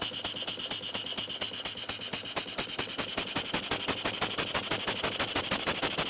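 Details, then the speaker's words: Model steam engine running on air, valve being adjusted: quick even chuffs about two a second with a sharp metallic knock on each stroke near the top; suspected bad, out-of-square nut, not confirmed. "try the exhaust sounds better but now I'm hearing a knocking up here we're hearing that before"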